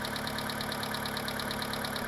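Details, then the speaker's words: Mitsubishi 2.0 GDI 4G94 (Shogun Pinin) after EGR/intake cleaning and intake refitted: steady idle with light sharp ticking about nine per second over a clean hum; hydraulic lifter tick this engine always has. "running okay now. It's just got the lifter ticking. Our engine has it all the time."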